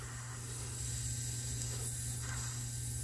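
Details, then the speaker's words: Faint steady hiss over the hum of an 18-year-old (2006) heat pump outdoor unit, nearly flat on charge; refrigerant leaking from underneath a frosted elbow fitting, heard while adding refrigerant. "it's actually leaking from underneath this elbow and that's a frostbite looks like"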